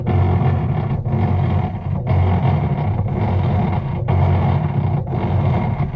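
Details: Whirlpool top-load washer with lid switch bypassed: loud low grinding drone dipping about once a second; motor runs but lower agitator does not turn and washer doesn't wash well, drive fault not yet identified.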